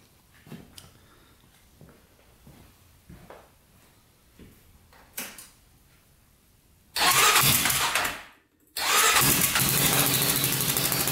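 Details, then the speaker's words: 1999 Honda 400ex quad with new-design turbocharger, first test after fuel/oil pump changes: engine fires and revs, then sags and dies away before picking up again under throttle, a little better but still boggy. "it's a little better still pretty boggy"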